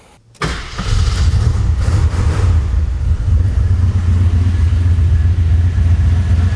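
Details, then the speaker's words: 1983 Jeep Wagoneer, AMC 360 V8 after a second rebuild following cam lobe and lifter failure, Edelbrock Pro Flow 4 fuel injection, in its 500-mile break-in: fires quickly into a smooth, steady low rumble with no knocks or ticks. Normal idle. "Running very, very nice."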